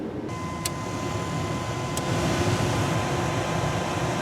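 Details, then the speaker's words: 1998 Chevy C2500 pickup cab blower after temporary rewiring fix of a melted blower switch connector: steady rushing airflow with faint constant motor hum; all four speeds restored, blower running normally. "so I got all four speeds back"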